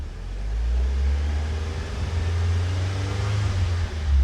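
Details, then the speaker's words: Audi TT bought as a Copart parts car, after repairs, light revving under slight load: deep, smooth rumble rising and falling, steady with no stumbles or skips; no misfires, no vibration, no longer smoking. "Beautiful. Yeah, that runs fantastic. Still, even under load, which is not much load, but uh we are not getting any misfires."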